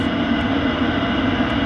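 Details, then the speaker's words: Eberspächer Hydronic 2 D5 5 kW diesel water heater after repair of the overheating surface temperature sensor, running about 12-13 minutes heating a 90-litre tank: steady even burner roar, constant low hum, no surging; running normally, temperature rising. "800 seconds, so 12-13 minutes, and everything is fine. The temperature is rising a bit by bit."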